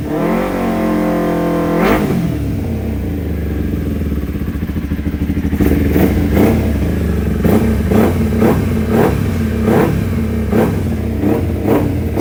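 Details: Kawasaki Ninja 250 carbureted twin after carburetor repair and butterfly valve synchronization, final result: revs cleanly in quick, even blips over a steady idle with no stumble or hesitation; carbs now balanced.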